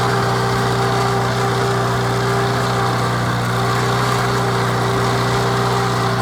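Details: 1949 Farmall Cub: an even, steady putter with a constant hum and no knocks or rattles. Normal running.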